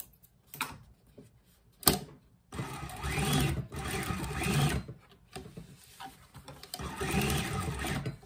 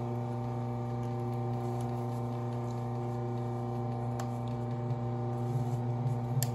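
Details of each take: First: Consew servo motor 1000 on a sewing machine, sewing eight layers of 12-ounce denim: bursts of quick, even stitching with a soft motor hum; no knocking or labouring, the motor is not struggling. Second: Consew clutch motor, 110–115 V, on a sewing machine: a loud, steady low hum that keeps running constantly, even between stitches.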